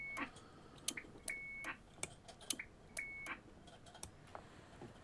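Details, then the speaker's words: Formac 120 AM/FM CB radio on transmit: each key-up gives a short clean high bleep among switch clicks, an unwanted tone; someone had fitted a bleep unit by cutting into the delay capacitor, suspected cause, not confirmed. "I don't know whether you can hear but it's making a tone when you actually key up and I'm sure that's not"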